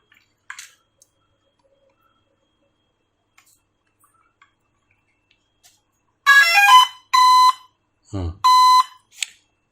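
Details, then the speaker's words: Drone after hitting a bird and crashing: quiet, then about five loud high-pitched beeps over three seconds, the motor fault alarm; something inside suspected loose. "Kalian lihat, kalau motor bermasalah dia pasti akan bunyi. Ini bunyi dari sini. Kalau motor bermasalah pasti dia akan ada indikator bunyinya ya."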